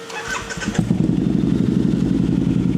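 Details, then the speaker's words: Harley V-Rod, after fitting correct fresh spark plugs and a new pigtail to fix loose, wrong plugs and a bent pigtail: brief crank, then a steady, even, throaty idle with no misfire or stumble. Normal start and idle. "It already sounds better. Sounds better. Already sounds better, yeah. All right. We can tell right off the bat, as soon as he started it, it's running better."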